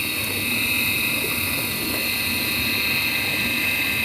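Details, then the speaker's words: Midea dishwasher, wash motor running after being freed from seizing: steady high whine with harsh rushing over it from a worn motor bearing; grease applied, and the bearing may need replacing. "it is working but problem you know you can hear the noise the bearing noise already we have to discuss with the customer and if it is customer agree we can send back to the customer otherwise we have to replace the bearing"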